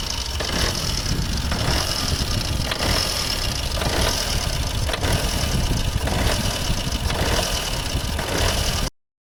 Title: Opel/Vauxhall Corsa D rough idle, no revs, no error, no dashboard light - alternator problem.